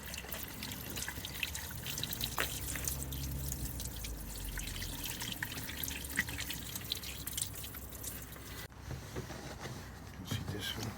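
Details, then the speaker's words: 2014 Fiat Punto 1.2 or 1.4 that died with no crank, no start from water ingress: testing the blocked scuttle drains after clearing debris, a soft steady trickle and dripping as water still leaks through into the cabin. "one it's no good because it's saking into the cabin as you can see that is leaking in so we need to strip this and make sure it's sealed because it's not"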